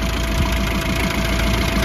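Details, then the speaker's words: Mini A-series petrol engine idles evenly with a light, fast valvetrain ticking, normal for these engines and particularly quiet here; the van is otherwise in for a suspected clutch hydraulic leak. "you can hear the ticking away but if any of you know minis or little a series engines then that's what they sound like but this is particularly quiet"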